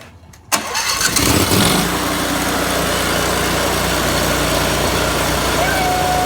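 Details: Briggs & Stratton Vanguard twin that cut in and out from a spark fault, after fitting a cleaned used ignition coil gapped at 0.012 in: fires after a short crank and runs steady and even on both cylinders, no misfire; normal running.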